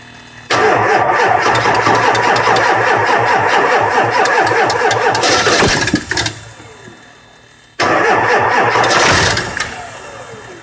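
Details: 7.3 engine that won't start: starter grinds the engine over at a steady beat for several seconds, then again, but it never catches; crank, no start.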